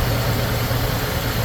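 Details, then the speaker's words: Ford Thunderbird Town Landau after carburetor rebuild, new fuel pump and brake work, first start: low, even idle hum with no knocks or ticks; normal idle. "Well, guys, T-Bird's been running probably half hour, 35 minutes."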